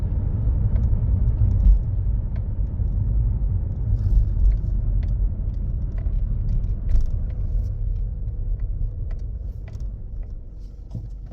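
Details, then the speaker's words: Toyota automated manual (Aisin robotized) gearbox: deep driving rumble with uneven knocks in 3rd gear strongly, 4th less; suspected worn synchronizer, gearbox to be removed and rebuilt with synchronizer and gear washer replacement. "третья сильно четвёртая поменьше то есть что-то в коробке проблема съём разбор ремонт коробки"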